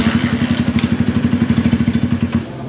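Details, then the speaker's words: Jap-style motorcycle (MegaPro or GTA base) that drags when hot, oil getting in suspected; slow, heavy, uneven chugging, laboured as if about to stall; engine dragging when hot, cause unconfirmed. "Nah kendaraan motor ini kalau panas di itu agak nge-gym ya agak seret kayak semacam apa kayaknya masuk oli di akhirnya"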